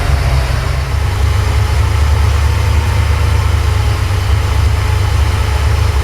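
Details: Porsche 928 V8 idling during an ignition timing check with a strobe on cylinder 1, which reads about 10 degrees before. Deep, slightly lumpy idle with an uneven beat while the mixture is still being set.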